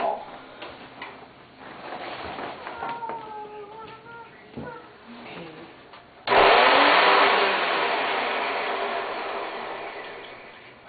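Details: Hoover Elite 350 vacuum cleaner motor, brushes damaged while removing the fan, run under 10 seconds: spins up with harsh rough roar then sags steadily in pitch and strength, from the damaged carbon brushes.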